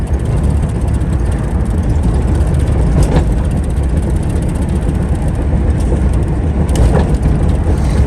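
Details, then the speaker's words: Car on first drive with new turbo and new MAP sensor: loud steady engine and road roar on a hard pull under boost, then the engine cuts out, first time ever; owner suspects an untightened clamp. "well as you can see I just did a little pull and it cut off that's why first time it's ever happened ever crazy"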